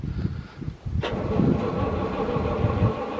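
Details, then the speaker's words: Massey Ferguson 40 combine, diesel, after sitting 3 years, in the field: slow uneven cranking, then it catches and settles into a steady run; hard start because the electric lift pump isn't wired in, temporarily jump-leaded. "Definitely gonna have to wear that pump in permanently just to get it running. Once it fires up, it's no problem."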